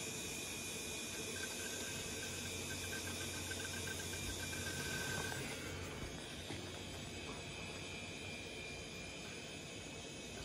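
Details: Four Quantum Fireball SE 4.3 GB IDE drives on a Promise FastTrack 100 TX2 RAID controller at power-on: steady fan hiss with faint rising whine as the drives spin up and settle; smooth, healthy.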